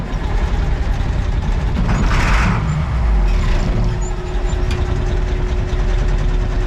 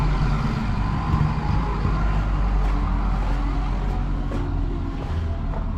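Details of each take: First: Caterpillar 3208 mechanically injected truck diesel on a cold morning, started with ether after its eight injector lines were cracked to purge air because there was no fuel. Deep, even rumble and clatter: normal idle. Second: Old mechanically injected Caterpillar 3208 diesel truck, sat about a year, cold morning, ether used, owner suspects stuck valve under fuel cutoff solenoid: uneven churning chuffs struggling to catch; fired after about an hour bleeding injector lines.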